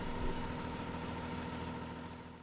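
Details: Hitachi EX225 excavator, Isuzu 6BG1T six-cylinder diesel, a year and a half after fixing stalling and crank-no-start: even, steady idle with constant low drone, no knocks, misses or hunting; normal idle.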